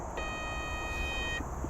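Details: Winnebago Revel van, Carefree awning beeping about every 30 seconds at 5am: clear steady high beep just over a second; wind sensor/Bluetooth module low battery warning.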